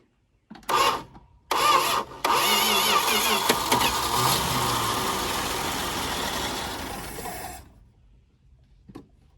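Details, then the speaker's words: Slant six Dodge Dart sitting since 1992, cranked to fill the fuel filter with a doubtful fuel pump: two short cranking bursts, then it catches and runs steadily and smoothly for several seconds before shutting off; normal start. "oh yeah listen to that slant six pair that smoothest [Laughter] i did not think it was going to run that well not even almost"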